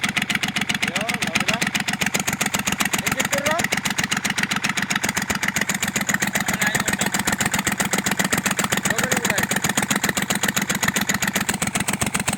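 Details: Kubota L1-255 diesel, idle: fast, even hard clatter with no letup, with white smoke; diesel knock from a failing cylinder head, repair: replacing the head.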